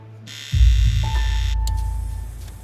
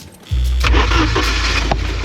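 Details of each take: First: 1982 Porsche 924 Turbo after about two years stored, clutch in, fuel pump primed: starter turns the engine over slowly in uneven pulses, about three a second, and it never fires. Owner thinks there's no fuel in it. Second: 1982 Porsche 924 Turbo after years of storage, after adding a couple gallons of fuel with jump box and charger connected: fuel pump sounds different, starter whirs briefly, engine catches at once and settles into an even, steady run with no misses; normal start and idle.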